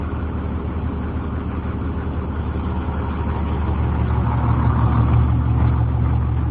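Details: 2003 Blue Bird 26-foot short school bus camper, International diesel engine, automatic transmission, listed 200,000: deep steady diesel clatter at even idle, about three beats a second, no misses or knocks; normal idle.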